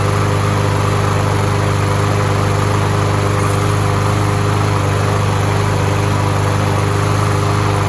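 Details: Troy-Bilt TB-200 tiller, heavily abused, just after drive cable replacement, before fitting the new air filter: steady, even single-cylinder chug with a firm low thrum, no knocks or misses. Engine running healthy.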